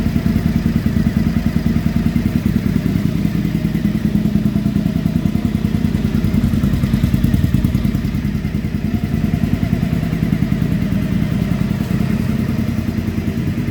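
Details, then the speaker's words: 2015 Triumph Speedmaster EFI twin idling after AIR system removal, tank back on; even lumpy thump with none of the exhaust popping heard before the removal, a smooth, healthy idle. "if you watched my last video with the exhaust you might remember how much it popped while it was just sitting here running it was awful and i hated it it sounded broken i don't hear it now"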